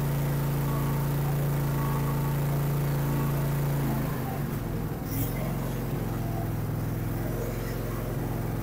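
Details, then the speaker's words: Dixon Speed ZTR 54-inch zero-turn mower engine after fix for rough running (sounded like a diesel tractor) and poor cutting; very dirty air filter and black spark plugs addressed: steady even hum, one speed change, smooth running; normal running. "now well that sounds so much better"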